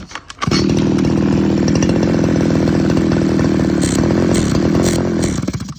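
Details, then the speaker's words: Two-stroke engine bogging: drones flat at one speed and won't rev; on disassembly the right-side reed petal of the reed valve was found broken, only one side left; new reed valve ready to fit. "จะเห็นว่าเร่งไม่ขึ้นนะครับเร่งไม่ขึ้นตัวนี้ผมเคยเจอฟันธงเลยว่าจะเป็นที่ีดนะครับ"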